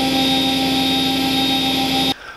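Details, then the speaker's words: Charnwood W824P midi wood lathe after control module replacement (old module let speed fall to about 300 rpm then die): steady high motor whine at max speed setting, slight fluctuation but holding revs; normal running at full speed. "Okay, so she's at its lowest setting. And she's staying up. So we'll turn it up now to its max."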